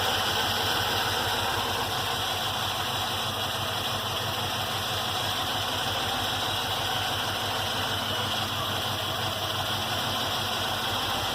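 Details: Cold idle on a Mercedes S-Class, lumpy and uneven with a loose pulsing beat about three times a second under the engine note; heavy exhaust smell noted, owner suspects cold engine may explain it; rough idle.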